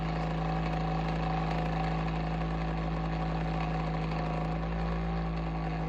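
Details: Bionaire ceramic heater tower fan running: steady low hum with a faint uneven flutter on the fan's drone; sounds abnormal, cause unclear.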